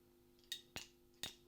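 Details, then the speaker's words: NUX Morningstar overdrive pedal into a Boss Katana amp on a clean setting, short leads, testing true vs buffered bypass; sharp audible click and pop over a quiet hum each time the pedal is engaged, player wonders whether the bypass switching mode causes it. "was a little bit of a capacitive click, an audible click that you can hear when you engage the pedal, something I'm not too big on."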